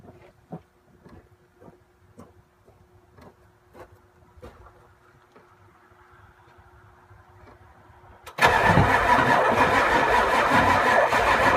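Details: 7.3 IDI diesel, crank no start: slow scattered clicks, then a loud even starter churn at roughly three turns a second with no pickup; engine cranks but won't fire.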